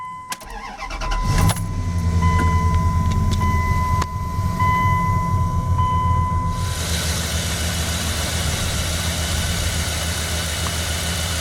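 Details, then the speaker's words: 1989 Dodge B250 van with a 360, cold start: quick catch after short crank, then smooth even low idle with no ticking or misses; a healthy cold start. "That start that up and it just purrs like a kitten. Cold start."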